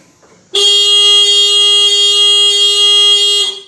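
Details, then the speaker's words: Yamaha Mio GT/Mio J scooter whose starter only clicks, tested with ignition on, horn pressed while pressing the starter: the horn holds one strong, steady tone for about three seconds, so the battery is fine and the fault lies in the starter. "oke untuk klakson masih stabil ya friend"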